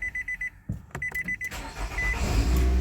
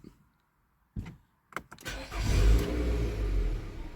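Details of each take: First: 2014 Nissan Altima 2.5 with a stalling complaint and code P0011, after the repair and cleared codes: door chime, short crank, then it catches and settles to a steady, higher idle with no stalling over repeated restarts. Normal start and idle. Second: 2014 Nissan Altima 2.5, complaint of stalling, with the check engine light on and P0011 reported: a few clicks and a short crank, then it fires and runs briefly before sagging and dying right after startup.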